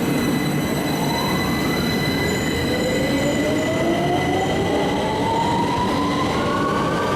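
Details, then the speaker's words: UK IGBT traction inverter, as on the 2009 stock: whine tones climb with speed, then the pattern shifts, over wheel and rail rumble; normal. "as igbts got better we can stay on a fixed carrier frequency for longer and longer to the point where you don't even notice it changing back on some traits like the zyro cities and the"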